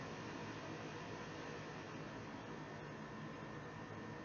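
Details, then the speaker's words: Makeshift server built from salvaged parts, water cooled, with a fan controller front panel, steady at 34.5 degrees without its rear fans. Its two rear fans are turned to max: loud, steady rushing air with no ticking or rattle, which is normal fan noise. "As you can hear, when I turn the two rear fans to max, the server starts making a lot more"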